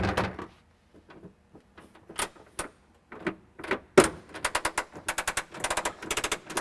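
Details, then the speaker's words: Messerschmitt Bf-108 under restoration, landing gear retracted by a hand crank driving gears and a worm gear, about 68 strokes: quick bursts of sharp mechanical clicks as the crank goes back and forth. The gear system is working normally. "So you hear that clicking sound, and that is just the gear system working, and the gear just comes up."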